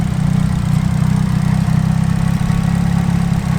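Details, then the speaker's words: Nissan 180SX on E85, warm after a drive and long idling: a deep, slightly uneven, lumpy low idle sits lower than it should. The cause is unconfirmed; power steering fluid is seen leaking and there is slight blow-by. "So, just gonna have a look around quickly, double check on stuff. Idle's sitting quite low."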